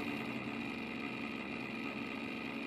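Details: A new-build apartment's water meter, fitted by the developer with a sealed coarse filter: a steady buzzing hum with a faint rattle under flow. It is far louder than a meter should be.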